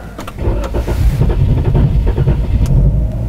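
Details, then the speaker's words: 2018 Chrysler 300 with P0339 intermittent crank position sensor code, sensor replaced twice: a few seconds of cranking before an uneven low rumble catches and settles, after an earlier stall; hard start. "okay so it was a hard start that time now it feels like it's running okay"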